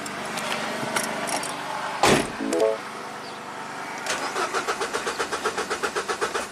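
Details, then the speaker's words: Mini Cooper on a 13.5 V battery charger, cranking before codes were cleared after a sunroof-drain water leak flooded the interior: starter spins at a steady quick rhythm, about five compressions a second, but never catches. No spark, no relevant codes, intermittent crank no-start. "Okay. Crank, no start. That's good."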